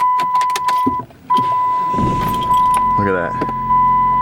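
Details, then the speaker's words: 2007 Dodge Caliber that previously would not turn over, starting after a relay replacement; over a steady door chime the starter turns briefly and the engine catches right away, settling into an even idle. "getting ready to turn over the car look at that start it right up"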